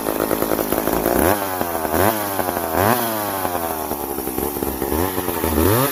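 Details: Old McCulloch 710 chainsaw with its carburetor deliberately set out of adjustment after being well tuned. The revs swoop up and drop back unevenly every second or so instead of holding steady: carburetor out of adjustment.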